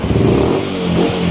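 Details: Yamaha Spark 135 carbureted manual-clutch single-cylinder motorcycle after a major service and refurbishment: engine blips up cleanly and settles back twice in under two seconds, crisp response without rattles; revving healthily.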